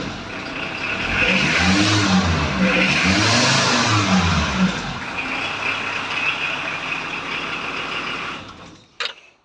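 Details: 1994 VW Transporter T4 2.4 diesel, manual choke, out of gear: revs with a thin metallic whine that hangs on as revs fall; release bearing thought to have gone through the clutch cover, clutch in pieces; worn clutch release bearing.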